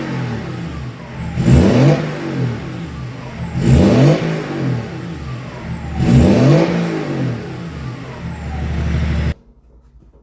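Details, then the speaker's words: BMW E36 Compact with freshly swapped-in replacement M57 diesel, first start with intercooler pipework and everything refitted, run a couple of minutes before revving: three quick throttle blips rise and fall cleanly with no knock, rattle or hesitation; revs nice and free, normal free revving. "Sounds alright. I let it run for a couple of minutes before I give it a rev."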